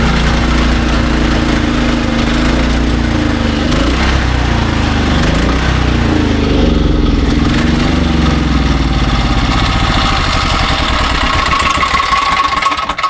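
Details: SDMO 5000W generator, Briggs & Stratton engine (about 18 hp), after repair, load test with a 6 hp vacuum and 1500 W heater (about 15–20 A expected); steady drone holding constant speed, no misses or surging; normal running under load.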